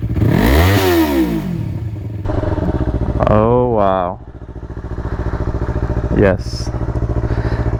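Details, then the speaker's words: A Yamaha R3 on its first start with a newly installed Akrapovic slip-on exhaust catches, then sharp revs rise and fall cleanly and settle to a deep, even burble. Much beefier than stock: a normal start and revving. "is what we needed. It sounds so much beefier. Way better."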